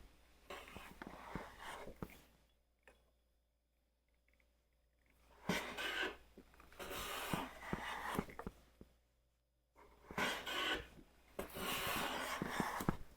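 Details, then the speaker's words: Hand plane cutting with long, even swishing strokes and a clean hiss, no stuttering buzz: the thicker blade (about 0.122 in vs 0.078 in) keeps it from chattering, a smooth plane cut without chatter. "And what that means is this is the reason why this doesn't chatter."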